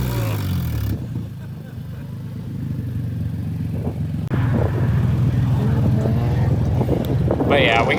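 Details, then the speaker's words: Nissan G35 exhaust with a torn-off flex joint, held up with metal zip ties; loud blatting tractor-like rumble at about four pulses a second as the exhaust escapes early, exhaust leak. "but it's definitely a lot louder now [Music] sounds like a tractor it's so bad"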